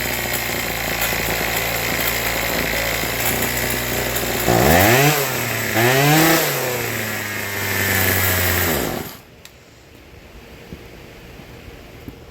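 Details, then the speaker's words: Troy-Bilt TB2044XP two-stroke trimmer, warm, after carburetor cleaning, new fuel lines and tuning for an idle problem: steady high idle, revs up and down cleanly three times, then shuts off; running normally. "I got it warm now and it starts up and then I tuned it"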